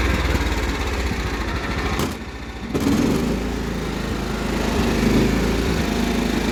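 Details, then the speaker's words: Cub Cadet 1330 single-cylinder mower engine suddenly running unevenly, with a dip near two seconds before picking back up. The owner doubts it is out of gas and suspects the throttle cable/linkage needs tightening. Surging, not confirmed. "why is it running on uneven all of a sudden it's not running out of gas already right it couldn't be now"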